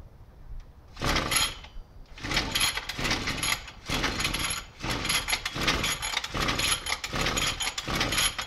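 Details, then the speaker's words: 33cc Mototech pocket bike two-stroke, just bought, needs a little tune-up and cleanup: high, buzzy engine blipped in short bursts about a second apart, running and revving freely. "So, this is a 33cc Mototech pocket bike that I actually bought last night. And it runs and drives, needs a little bit of tune up and a little bit of clean up here and there, but it is all in working condition and should be pretty fun."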